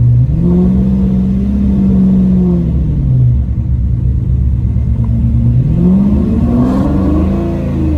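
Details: Lamborghini Murcielago after roadside repair of a blown front coolant line: deep V12 settles into a smooth run, then revs climb and fall in clean even sweeps with no knocks or misfires.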